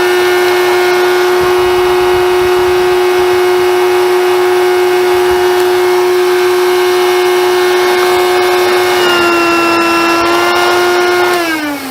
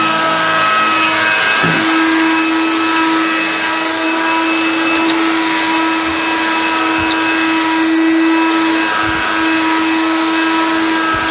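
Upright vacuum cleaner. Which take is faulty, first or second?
first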